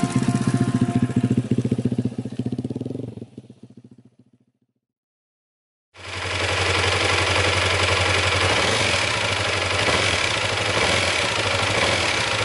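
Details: Motorcycle engine after repair work with earlier clunking fixed: fast, regular metallic clatter over the idle, fading on shutdown and returning on restart; worn balancer gears rattling inside, not from the bearings.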